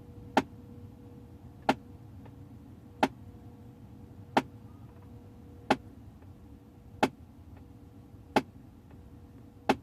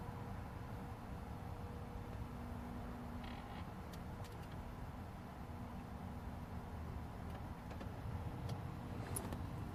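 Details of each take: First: 2008 Audi A6, ignition on during HVAC flap basic-settings adaptation under the dash: sharp even taps about every 1.3 seconds while other flap motors move; a faulty flap motor keeps knocking, possibly physically damaged. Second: 2008 Audi A6 after HVAC flap repair, ignition on during basic-settings initialization; faint, even flap motor hum under the dash with no flapping or clatter heard before, flap actuator now working normally.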